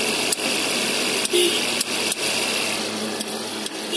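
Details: 2011 Suzuki SX4 with M15A engine, Indonesian market spec, idling: uneven sharp clicks, roughly three a second, over a steady hiss, from the AC compressor.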